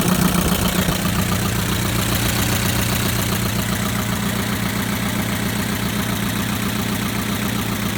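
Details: 2011 Chevrolet Equinox 2.4L LT, 132,000 miles, steady idle with light quick tick about two or three a second; ticking noise, cause not found.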